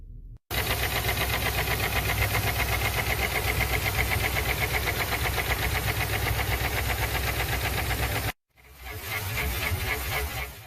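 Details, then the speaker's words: Customer-reported very loud engine knock: steady heavy knock about four beats a second over the running engine; internal knock, cause not yet found. "customer states engine has a very loud knocking sound let's have a listen"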